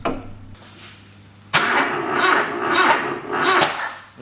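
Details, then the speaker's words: Toyota Corolla KE25 with remanufactured 4K engine swap, timing reset to front crank pulley mark, no coolant in: catches cleanly after a pause and settles into lively idle with slow even swells; sounds better, possibly one tooth out. "Well, that sounds better. That sounds better. Hey, hey! Hey, look at that! Beautiful!"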